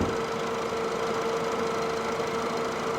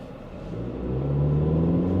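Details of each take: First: Auction-bought former pizza delivery car at idle, hood open: smooth steady mid-pitched hum, with the earlier ticking and belt squeal now gone; engine runs healthy. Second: High-mileage $1200 ex-Domino's pizza car, idles well but on acceleration revs climb sluggishly with rough heavy drone, bogging and bucking then surging as rpm rises; owner suspects bad gas (tags expired a year) or timing issue, codes not yet read.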